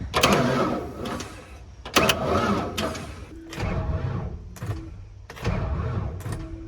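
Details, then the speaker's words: 1994 Ford F-150 2WD with 4.9 and 5-speed that sat for years, new starter just fitted: four brisk starter bursts spin the engine over but it never fires; cranks without starting, owner suspects the engine is blown. "Because it's like, it's weird. It sounds like it's spinning over, but the thing won't."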